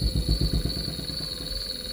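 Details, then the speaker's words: Gree inverter AC outdoor PCB on a bench test setup: compressor has started but the outdoor fan motor (UVW) jerks clockwise and anticlockwise and won't start, with low uneven thumps under a steady electronic whine. PCB fault being traced. "Outdoor की जो motor है वो भी start होने की कोशिश कर रही है। यह अभी झटके ले रही है।"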